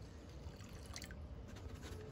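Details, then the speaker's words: 5.7 Hemi during coolant bleeding after water pump replacement: quiet drips and watery gurgles with bubbling bursts, engine barely audible; air gurgling out of the coolant. "perfect i hear something i can hear it coming out yeah it sounds like yeah there it is"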